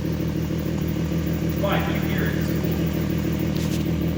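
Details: VW MK4 R32 turbo build, first start after rebuild with re-ringed original pistons, honed cylinders, new rod bearings, HPA head spacer and turbo: firm, even idle with a steady low drone, no knocks or misses; running cleanly.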